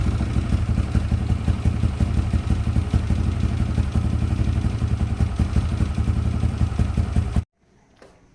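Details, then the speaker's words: Yamaha LC135 after refitting a racing coil and plug, unstarted nearly a month: single-cylinder idle at about three beats a second, lightly clattery but steady, then shuts off cleanly. Healthy. "Api dah ada. Masa ni dah hampir sebulan tak start. Alhamdulillah, senang hidup"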